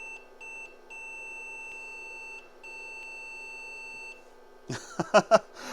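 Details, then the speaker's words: IBM PC/XT Model 5160 with no video and no boot beep, diagnostic ROM fitted: high steady beeps, long-long-short-short pattern, reporting failed RAM bits in bank 0 (nearly all 4164 chips faulty); fix is replacing the whole bank. "okay that's just saying a lot more is faulty uh let me just double check long I think is faulty so basically just swap out the whole Bank"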